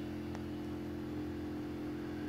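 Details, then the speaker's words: Pump in a solar outdoor shower fed from a 50-gallon rain barrel, priming to draw water and push air out of about 50–60 ft of PEX line: an even, steady low hum with no knocking or rattling; running normally. "so the pumps now running as long as the other end of this tube is in water it should start to draw water over here and it should push all the air out"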